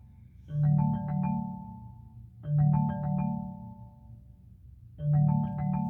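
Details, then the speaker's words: 2019 Chevrolet Malibu, engine and display off: the call ringtone, a melodic chime phrase repeating about every two and a half seconds, keeps sounding after a phone call failed to connect and won't stop. "it just keeps on making that making that noise it was when I received a phone call and I was trying to answer it and it didn't want um to connect to the phone"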